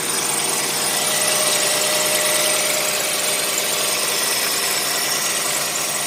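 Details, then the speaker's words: 1990 Chevrolet Lumina Euro 3.1 V6, 145,000 miles, on the raised idle after a cold start following about 3 months sitting: fast, light, sharp ticking clatter, owner thinks it's from sitting; cause unconfirmed. "here a little clatter probably from sitting but I don't like that"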